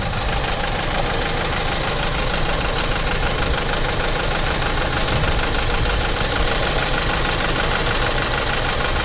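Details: Renault Master diesel van in limp mode with a smoking turbo that passed oil, codes for a cylinder 4 injector signal anomaly and open circuit: rough idle with an intermittent knock over the clatter; injector fault suspected.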